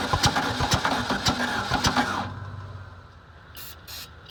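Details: VW Bug engine with new plug wires, ignition coil and distributor, gas poured in carburetor: slow, uneven cranking with a few heavy puffs that never catch, then stops; hard starting from slightly late ignition timing.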